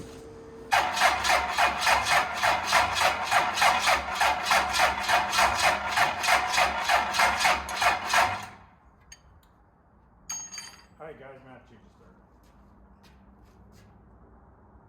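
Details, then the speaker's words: 12-valve Cummins on an engine stand after cylinder deglazing, very low mileage, first start attempt before break-in: starter drags the engine over slowly for eight seconds without firing; starter not up to snuff, two more starters tried before one rolled it properly. "starter is not up to Snuff all right guys okay I had to put another two more starters in it finally found one that actually rolled over again"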